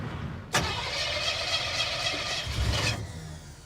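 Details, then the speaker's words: Junkyard 1957 Chevy, sat four decades, fuel barely spurting into the filter; engine catches sharply, runs ragged about two seconds, then dies; old mechanical fuel pump not pumping, to be replaced. Failed mechanical fuel pump. "Yeah. It's not pumping, man. So far, everything we've tried has not worked. Now we're putting a fuel pump in it."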